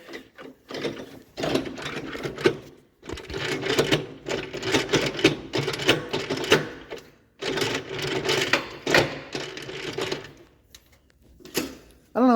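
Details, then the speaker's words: 1967 Gravely 430 tractor, sat outside for years: bursts of loose metallic rattling as the shaft is hand-turned with PTO engaged, occasionally catching; shaft shouldn't turn, so damaged PTO gearing suspected, not confirmed. "well you can hear all that noise on camera but uh every now and then it catches and stops like it's supposed to"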